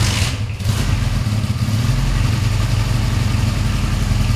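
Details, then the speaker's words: Honda Benley motorcycle single started after about 4 or more years unused, carb not fully cleaned, timing unchecked: catches after a few cranks and settles into a steady, even putter without rattle, slightly woolly; normal running. "That engine, that's not rattling at all. Well, this hasn't been run for, I think, 4 or more years. It's a bit woolly."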